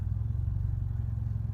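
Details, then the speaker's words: Nissan Juke turbo with a newly installed aftermarket blow-off (dump) valve, cold and parked: a low idle thrum with a slightly uneven, lumpy pulse; it has been idling rough since the install, cause not confirmed. "with the blow off valve on here and it has been idling rough"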